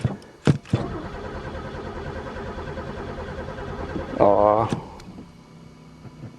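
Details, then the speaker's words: Pontiac car unstarted for three years, throttle sticky: short starter cranking bursts between quiet gaps, engine never fires; cranks but won't start, owner suspects no spark, chewed wires or broken fuel lines. "Don't tell me this one's got no spark, too. It's even gas dumped in it."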